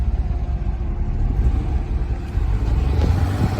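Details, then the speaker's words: 1998 BMW 328is 5-speed, 195,000 miles, parked 10+ years, first start on old stale fuel with check engine light on: rough, uneven low idle stumbling and surging about every second; engine missing, likely from stale fuel. "can hear it missing I can't believe it doesn't run well on this ancient gasoline who would have thought but she's alive"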